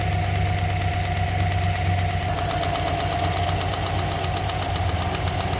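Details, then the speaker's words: GM 5.3 V8 truck with Black Widow package idling with a fast, sharp ticking on top and a slight misfire, check engine light on: ignition arcing from a spark plug wire that fell out of its coil, not lifters or exhaust. "see that coil wire is hanging out that's how it's supposed to be sitting that's how it's sitting see the other two it fell out of the coil but why did it fall out of the coil"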